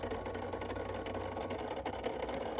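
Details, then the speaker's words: Kawasaki ZX10 not run in a long time, at startup: steady fast mechanical whir with a light buzzy edge over the engine; owner suspects headlight fans, source unconfirmed. "What is that? What is What is that noise? I don't know. I think that's the fans for the headlights, but that was crazy."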